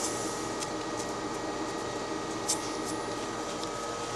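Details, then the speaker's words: Lathe boring a steam engine gear on the final pass, after switching to a smaller-radius positive-rake insert. A steady high ringing tone rides over the cutting hiss. The boring bar is chattering, and it will be changed for another boring bar. "So, as you can hear, as always, is the way on the last pass, it wants to start chattering. So, I'm going to have to change out boring bar."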